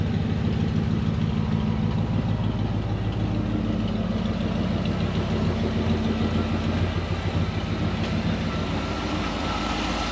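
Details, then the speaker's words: Ford 302 V8 in an Econoline van after the bent #5 intake pushrod was replaced. It gives a steady, even low rumble at idle with no misses or ticking, and the #5 clatter is gone. Oil is still burning off the manifold; it runs much better than before. "runs a lot better than it did before i'll say that man sounds good"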